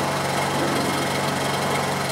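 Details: Honda EU2200i inverter generator running after a hard start on a drained, dry carburetor (about 10 to 11 pulls). Steady, even buzzing drone with no misses or surging: normal running.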